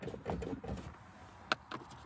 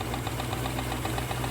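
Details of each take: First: 1967 Rolls-Royce Silver Shadow, just back from the shop, started after pumping the throttle: starter turns over sluggishly with uneven labored chugs before catching into a rough idle; slow crank from a low battery needing replacement. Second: Rolls-Royce Silver Shadow V8 at idle: quick, even knocking tick from the engine-driven hydraulic pump running normally; it powers the suspension, brakes and steering on RR363 fluid, and the hydraulic system was recently rebuilt.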